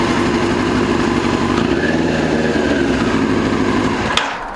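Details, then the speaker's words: 2002 Yamaha YZF R6 four-cylinder, sat 6 years, running on an electric fuel pump: loud, lumpy, stumbling idle, seemingly on only 3 cylinders; owner suspects a gummed carburetor or fouled plug. "I feel like one of those carburetors is gummed up. I feel like it's only running on like 3 cylinders. Could be a foul plug, or it could be carburetor's gum."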